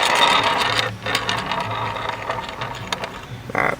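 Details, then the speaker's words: Bow axle removed during a dry-fire inspection, rolled on a flat surface near the mic: even, light rolling rattle with no repeating catch or wobble; the axle is straight. "So rolls good. Checking to make sure there's no bends."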